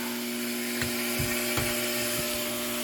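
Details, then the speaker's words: Off-grid house RO reserve tank during float switch replacement: pressure pump drawing from tank bottom to give about 60 psi house pressure, steady mid-pitched hum with light knocks; normal pump operation. "And that noise you hear is water that comes from the bottom of the tank into this pump that then pressurizes everything inside the house so that we have the normal 60 psi or so in all the pipes."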